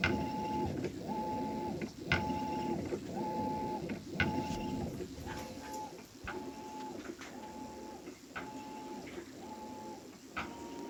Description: My brand new Maytag (MVWB835DW) is making a popping noise/squealing during the wash cycle.